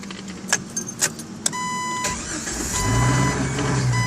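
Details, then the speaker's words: 1997 Jeep TJ power steering pump failed on a long drive: after a few clicks the engine fires into a steady drone with a thin constant whine from the failed pump pulley bearing, with shaking felt throughout. "so start it up show you what the power steering uh that uh pulley bearing goes what it sounds"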